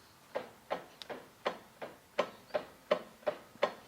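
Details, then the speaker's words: BMW Z3 (E36) drivetrain clunk test, car jacked up, gearbox in first, both rear wheels rocked together: sharp metallic clunks about three a second, little driveshaft movement seen, lash somewhere in the driveline. "sounds very familiar doesn't it and it's very hard to tell where it's coming from but if you look closely to the drive shafts going to the gearbox there is very little movement there"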